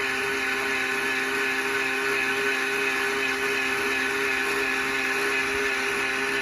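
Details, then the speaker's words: Greenworks 80V battery cultivator, which has no variable speed control, running: steady high electric whine holding one pitch with no rise or sag; motor runs smoothly at a fixed speed. "i didn't like about the unit was that it didn't have a bearable speed control and i thought that was something that you'd want to have"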